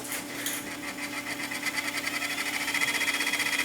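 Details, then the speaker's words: Sony DAT recorder during tape path alignment, rewinding a very old 1980s DAT cassette. Fast, even ticking chatter with a high hiss over a steady hum; the noise is from the cassette, not the machine. "That's a noisy cassette, not the machine. These are very old tapes, as you can imagine, because they haven't made DAT tapes in years."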